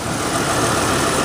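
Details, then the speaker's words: 1983 Lincoln Mark VI V8, automatic, microphone next to engine: steady even low rumble at idle with no knocks, ticks or hunting; smooth healthy idle despite some oil and coolant leaks, cooling system seemingly holding pressure. "anyway just put the microphone next to the engine you can hear what it sounds like ain't not a bad running vehicle at all"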